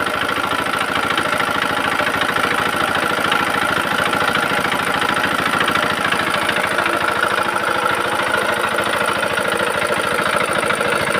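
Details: Very old Usha Z170F single-cylinder diesel started after full restoration and repair: steady, even thump of about three beats a second with a light mechanical tick and no knocks or misses. Healthy running.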